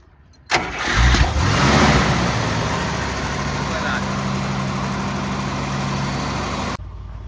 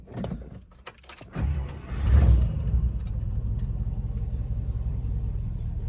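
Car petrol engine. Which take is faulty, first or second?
second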